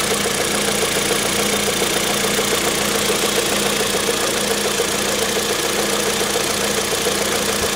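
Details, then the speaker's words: Kia Picanto after dealer repair of engine rattle, idling after cold start: steady, even idle with smooth unbroken level, no chain rattle or slap, only a faint regular tick; repaired, quiet and healthy. "100 tell you it's so nice to have it all quiet again you know i have it quite peaceful none of that all the time and uh not only does it sound a lot healthier it's just more peaceful on the head"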